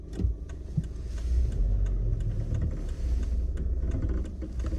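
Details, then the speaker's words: Suzuki Swift Sport ZC31S, over 10 years old: irregular hollow front knocks over road rumble while driving, not following engine speed; also present on deceleration and in neutral. Owner suspected driveline or hub bearing, but the garage found worn upper strut mount bearings letting the spring seat shift so the suspension hits the body. "後日、整備工場に持ち込んだ結果はアッパーマウントのベアリング劣化による型でした。"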